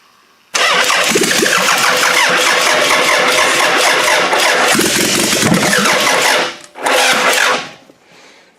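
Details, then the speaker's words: Demolition derby car with a GM distributor fitted, firing order and timing set: long laboured churning crank with uneven beat, no firing; owner suspects a dead battery, booster to be hooked up. "I think my battery's dead. We need to hook the booster up to the battery, and then we can try this again."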